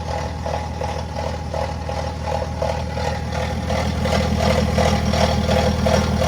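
Even idle with a regular light metallic rattle pulsing about three times a second over the diesel rumble, pointing toward the timing drive. Cause suspected, not confirmed.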